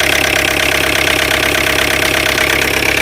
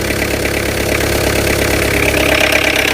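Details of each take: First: Tata Indica V2 LS BS3 diesel idling with the glow plug fuse carrier refitted: even clatter at a steady idle, about three or four beats a second, no odd knock over it; running normally again. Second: Tata Indica V2 LS BS3 diesel idling with the glow plug fuse carrier removed: uneven clatter with irregular knocking about three times a second; rough running from the disabled glow plug circuit, which sounds like engine failure but is only the fuse carrier.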